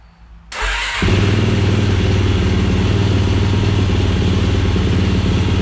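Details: 2007 Yamaha YFZ450 SE build, on temporary leaking gas bottle with choke and charging pack: quick catch after short crank, then even deep single-cylinder thump settling into steady healthy run.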